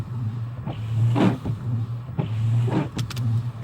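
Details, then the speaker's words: 2008 Mercedes-Benz S550, about 200,000 miles, wet windshield; harsh scraping chatter each wiper sweep about every 1.5 seconds over motor hum. Wiper blades scraping on windshield, worn and due for replacement. "so I'm sure you will agree it's time to change them"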